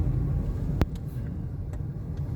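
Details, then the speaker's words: Mitsubishi Mirage G4 driving after front wheel hub bearings were replaced via machine shop: only steady low road rumble, the earlier rough hum gone; normal wheel bearing noise. "Bearing napa machine shop na yan, wala na yung alingas-ngas, kakabit na dito kabilaan to, kaya medyo madugo, wala na yung ugong."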